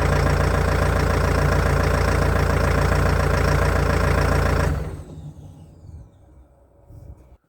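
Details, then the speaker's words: Old CAT excavator started for the first time in months on new batteries, on a cold day: a slow, steady, low diesel chug at very low revs with even firing before it shuts down. This is a normal cold idle. "i've sent the video to a few guys who are familiar with cats and they've had a look at it and they're happy with the way it sounds given temperatures that were"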